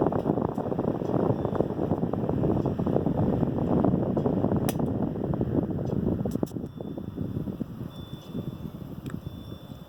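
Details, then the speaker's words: Restored vintage Westinghouse LivelyAire 10LA 10-inch single-speed desk fan started with oscillator off: steady, even blade whoosh with soft motor hum, no rubbing or rattle, runs smoothly. "So anyway, I'm going to start it up, oscillator turned off, and then we'll shut it down, turn the oscillator on."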